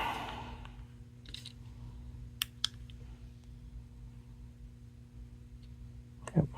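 A couple of crisp clicks, then one more a few seconds later over a faint electrical hum; the relay switches cleanly and normally.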